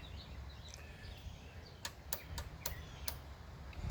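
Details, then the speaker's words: 1970s Pioneer CT-6R cassette deck, powered up after being found at a thrift shop: five sharp clicks about a third of a second apart over a quiet hum while rewind, play and head rotation do nothing; transport not working. "When I press the head rotation, nothing happens. Play button, nothing happens. It's making a clicking noise."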